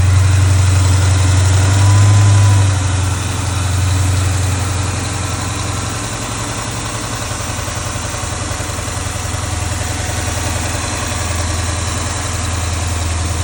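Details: Dodge Challenger Hemi V8 idling after worn, noisy accessory pulleys were replaced and the serpentine belt refitted: steady low rumble, even beat, no rattle or chatter from pulleys or belt.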